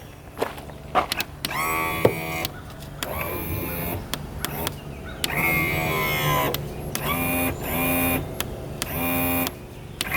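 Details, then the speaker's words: Abandoned fishing boat outboard, long sat outside, power tilt tested with key on: short bursts of electric motor whirring, nothing moves; tilt motor powers on but doesn't tilt, owner unsure if stuck. "okay something in that motor right here tilt motor isn't working you can hear it powering on but it's not tilting it up and down"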